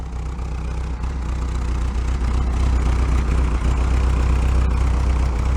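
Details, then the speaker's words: 1968 VW Double Cab automatic truck after years stored in a tent: low, even idle with a steady puffing tick about four times a second from a leaking exhaust joint; exhaust leak, though running well for its age. "it's got some exhaust leak on it but again for its age it's doing quite well"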